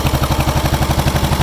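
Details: John Deere 440 IC bulldozer diesel started after sitting four to five days: low even idle, evenly spaced pulses, no misses or knocks; healthy idle.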